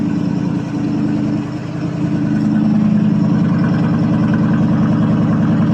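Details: 1979 Chevrolet C10 Bonanza Big 10, 305 two-barrel V8 with glass pack exhaust, after cold start: deep even burble swells smoothly on throttle and settles back, no knocks or misses; healthy revving.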